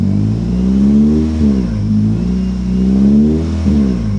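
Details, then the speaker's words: Salvage-auction automatic car, won't move in any gear though linkage feels connected and fluid is full and good: engine swells up and drops back twice with no strain or drive taken; owner suspects a computer or electrical fault. "I don't know because it's not even trying it's not doing anything I mean I don't hear anything"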